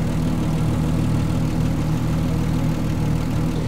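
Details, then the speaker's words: 1975 Triumph TR6 PI straight six with Lucas mechanical fuel injection, warm, before mixture adjustment: smooth, even low burble at steady idle with no misses or knocks; normal idle. "now you can see when these are set up properly what a sweet engine this is um it's got a lovely Pur to it and the exhaust note is just"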